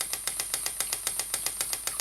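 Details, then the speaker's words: Stuart model "donkey" steam water pump (6 cm3, slide valve, rated 40–400 strokes/min) running on compressed air rather than steam, pumping water; crisp even clip-clop ticks about six per second, no misses or knocks, normal running. "la pompe fait son travail et comme vous l'entendez fait son clope sur clope comme c'est une machine à vapeur"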